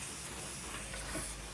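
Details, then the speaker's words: Hissing compressed air leak at the regulator fitting threads of an updated air compressor system set around 80 psi; steady even hiss. Fix planned: remove, re-thread with Teflon tape, reinstall. "And the only problem I have is this leak right here. And then I did hear the hissing sound."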